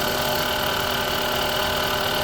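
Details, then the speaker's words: 2005 Honda Civic at idle, checked with a stethoscope: fast, light ticking over the engine, located up in the cylinder head; mechanic judges it camshaft noise and says the head must be opened. "केम की आवाज़ आ रही है। केम की है? श्योर है आपको?"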